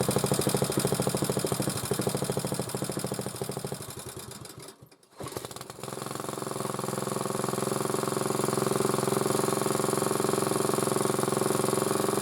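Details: Single-cylinder motor-cultivator, which knocked and stalled in autumn with a suspected tapping valve, runs after valve clearances were set (intake 0.20, exhaust 0.15): steady quick beat, brief dip, then even running; normal running.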